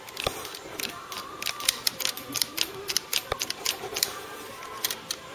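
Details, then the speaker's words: Ford Cortina MK3 GXL restoration, custom switch unit after adding Vero board backing to stop spring-back: crisp positive evenly spaced clicks with no rattle; switches latching properly. "you weren't getting positive action on the switches so we're better there now so there you go you can hear that clicking"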